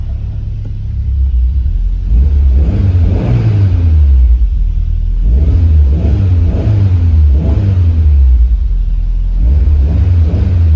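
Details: 1993 Lancia Delta HF Integrale after a fuel system repair fixed a no-start: clean even rev rise and fall over a steady low rumble, no misses or knocks; engine revs smoothly and healthy.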